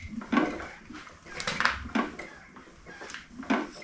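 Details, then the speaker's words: Ford Model A engine on homemade doodlebug tractor, sat 40 years, turned over slowly by hand: irregular hollow clunks about once a second; owner first suspected loose rod, now checking for broken cam gear via timing pin test. "I did notice something in the meantime though, and you may have heard it when I was turning this over earlier. There's a clunking noise."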